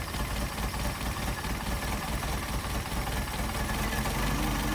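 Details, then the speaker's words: Engine with rebuilt twin Solex carburetors, warm with thermostat open, linkage disconnected so each carb runs independently: slow slightly lumpy beat at about 550 rpm, needs raising to about 700; idle speed too low. "We got the idle too low, so we're going to have to bounce it up a little bit."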